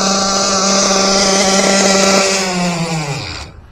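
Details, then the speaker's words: SPOWER S6TT nitro engine break-in, about two tanks run, needle opened rich: high buzzy scream holding steady, then dropping in pitch and cutting out; normal rich break-in running. "Écoutez, ouais, hein, je l'ai bien ouvert quand même pour que ça tourne bien gras."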